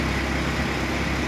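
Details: 1991 Chevrolet Opala 2500 four-cylinder with Beetle carburetor, first start after replacing head gasket blown between cylinders 2 and 3 and adjusting valves: even low rumbling idle, no misses, puffing or hiss; running smoothly.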